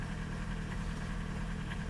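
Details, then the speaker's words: Old VW TDI 90/110 hp rotary injection pump diesel, cold engine in rain: heavy, rough, deep idle clatter, over-fuelled from too much quantity on the pump adjuster; may hit cut-off once slightly warm. "Trzeba uważać bo ona pójdzie w odcięcie na takiej dawce jak się troszeczkę zagrzeje"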